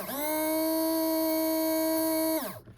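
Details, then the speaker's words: HO scale Lindsay Alco FA locomotive motor, rebuilt after zinc rot, run on slight controller power before oiling bearings: thin steady whine spins up, holds even pitch, winds down cleanly; normal running, very healthy motor even without oil. "And as you can hear, even without oil, that is a very healthy motor."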